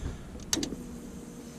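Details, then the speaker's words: 1959 Ford Ranch Wagon (Ectomobile) with ex-demolition-derby engine, ignition via derby switch panel: sharp relay click, then a brief faint whir as the fuel pump primes the system at key-on; normal. "you can hear the fuel pump relay click on there and the fuel pump run it primes the system"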